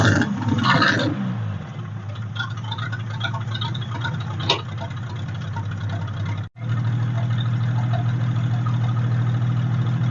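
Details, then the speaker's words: 1946 International truck abandoned about 50 years, first run after revival with no radiator fitted: low, steady idle with an even beat, no clatters, clanks or rod knock; runs very smooth after earlier fire from the exhaust. "look well you guys heard it run and you heard that last little bit there it was actually running really good no clatters no clanks no rods knocking it ran very smooth"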